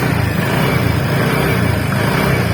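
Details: TVS NTORQ 125 scooter at 4318 km, engine running: heavy rough low rumble with loose chatter underneath; flywheel magnet nut had worked loose, tightened to fix, sound gone after repair.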